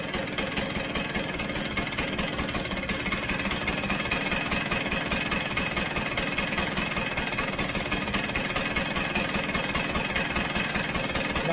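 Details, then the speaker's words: Vespa GS150 two-stroke, warmed up, cowling off, after carburettor adjustment: a slow, even knock-knock beat at idle, roughly two to three a second, steady with no stumbling. The carb is properly set and the idle is healthy. "are you reckoning steady knock knock or a tad slower"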